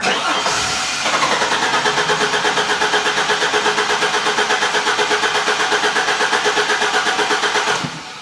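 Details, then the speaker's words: Engine suspected of losing compression under load, cranking during a starter current test: even, steady rhythm with about three matching compression pulses a second, so the starter motor is good and the current peaks compare evenly. "All right, sounds like our starter motor is good."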